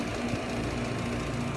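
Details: Three-phase HVAC compressor, 17 years 6 months old, running with gauges connected: continuous loose, tinny rattle over the hum, like aluminum cans shaking inside; worn out and failing internally, replacement to be quoted.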